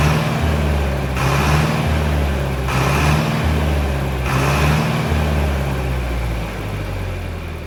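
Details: Mid-1960s John Deere 3020 diesel tractor, about 477 hours, just restarted after sitting five years: a steady, low chug at about three and a half beats a second, smooth with no knocks. It is idling normally.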